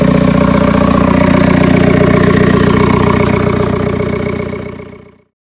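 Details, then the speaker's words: 1.9 TDI diesel at first start after preparation work: steady, even clatter with no knock or miss; started instantly, no tapping once oil pressure built, then shuts off cleanly. "ah bah là quand il a démarré il y a pas eu un seul claquement ça je peux vous le dire ça a démarré au quart de tour"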